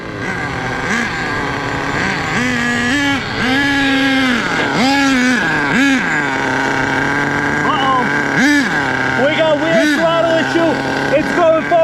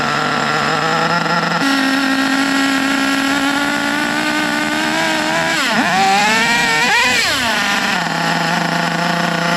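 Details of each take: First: HPI Savage 1/8 nitro monster truck with a worn engine, two big scores on the sleeve and low compression: engine screams and surges up and down with no throttle input, a throttle glitch that forced shutdown by plugging the exhaust. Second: HPI Savage nitro monster truck with badly worn engine (two big scratches on the sleeve), after fixing sticky throttle with new washer and screw so carb closes: high buzzy idle, sharp throttle blips dropping straight back to steady idle; normal.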